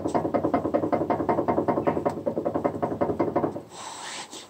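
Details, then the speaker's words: Lada Vesta under warranty, recorded driving over gravel or paving stones: rapid hollow knocks about six per second, heard in the cabin, fading on smooth road; owner attributes it to the brake calipers rattling; dealer called it normal. "громыхание мсу борту промаха не слышно при езде по каким-то дорожным покрытием неровным щебенкой будет поможет тротуарная плитка все это слышно в салоне"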